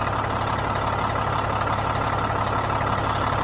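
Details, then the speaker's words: Diesel truck idling steadily; open air line kinked so pressure builds and fan clutch engages, fan whoosh rising over the even idle. Normal idle with fan clutch engaged. "So right now there's just air blowing out of this, not allowing the system to build pressure. But watch, if I kink this, you'll see that fan start picking up."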